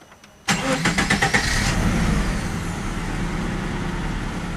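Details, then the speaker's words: 1993 Subaru Impreza after a DIY oil change: brief crank, prompt catch and steady even idle with no knocks or ticks; oil pressure light stays on a couple of seconds while new oil circulates, then goes out. Normal start and idle. "and it's out now basically the new oil had to circulate up into the engine so the car is running all right it's got fresh oil"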